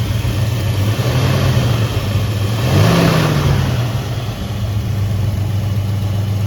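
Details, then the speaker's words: 1967 Mercury Cougar V8 with exhaust, water pump replaced after long storage: deep, even burble blipped once, quick pitch rise, settles cleanly with no knocks or misses; shaky on startup, motor mounts suspected worn. Normal rev. "let's just get it started up here real quick sounds good he's got he's got exhaust on here so it sounds good"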